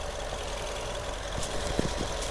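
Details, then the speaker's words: 2011 Suzuki Swift manual three-door petrol, idling in neutral with clutch released, bonnet on: steady low growl from gearbox, goes away when clutch pressed; owner believes worn input shaft bearing. "You see the sound? You you hear the sound this growling sound coming from the gear box. And this comes when the gear box is uh when this comes this sound is only evident when the gearbox uh when the gearbox input shaft bearing is gone."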